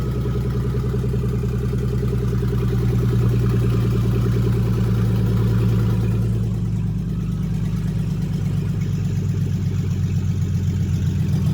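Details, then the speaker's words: 2008 Chevy Express van, catalytic converters removed; just cranked with revs held near 2,000: deep, loud, raspy idle with throaty low rumble drowning everything, open exhaust from missing cats. "Yeah, it's loud."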